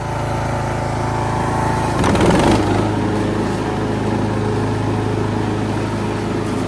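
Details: Poulan Pro PP175G42 riding mower, long stored outdoors, revived after mouse nest: steady, even single-cylinder chug holds speed, brief heavier clatter as blades engage, then smooth again; normal running.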